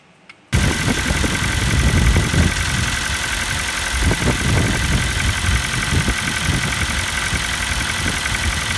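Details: New Kia Rio 4 with 1.6 engine starting and settling to idle: dull, uneven knocking tap through the idle; piston slap, the same sound heard on the Kia Rio 3.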